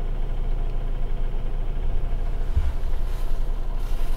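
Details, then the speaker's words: 2007 Toyota Avensis, 2.0 L petrol, automatic, front-wheel drive, 225,000 km, after throttle body cleaning: smooth, even low idle around 800–830 rpm with a steady rumble and no hunting or surging; idle speed is stable. "Она и сама стабилизируется но тем не менее обороты стабильны не плавают не скачат"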